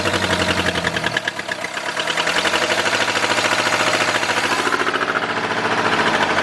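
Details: New engine in a 1953 Ford project truck, first start after re-timing with number 1 verified at top, no coolant hooked up: stumbles at start, then rapid, fairly even pulses settle into a steady idle; engine runs.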